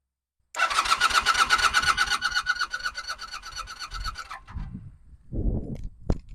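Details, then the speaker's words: 1982 Honda Nighthawk motorcycle, not run in about eight years, previous owner drained tank and carb: starter spins briskly with even compression pulses for about four seconds but never fires; no fuel in it. "all right so we got crank like I said the last guy said everyone this said that there was no gas in it"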